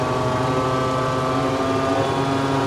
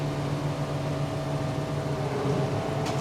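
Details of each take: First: JF forage harvester chopper drum revved flat out after repairs: loud, harsh, steady high roar with ringing tones because the blades were set too close to the shear bar. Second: JF forage harvester after repair, being revved with the pickup reel turning: even mechanical hum with a steady low drone and no knocks or squeals; normal running, though a tine or two still rattles.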